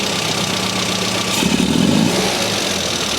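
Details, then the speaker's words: SU carburettor engine during tuning: idles fine but bogs and hesitates on sharp throttle opening because the damper has no oil, letting the piston fly up too high and fast. "it doesn't do what it's supposed to do does it and that is because the damper is not doing its job there is no oil inside"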